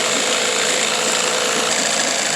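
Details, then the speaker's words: 1991 Johnson SeaHorse 15 hp outboard, in for a tune-up, being run to warm up before forward and reverse are checked: fast even high buzz holding a steady speed with no misses or knocks; normal running while warming up. "so what I like to do at this point is run these for a little while let them get warmed up let them run and then I also like to check forward and reverse and see how that's working how everything's operating and we'll go from there"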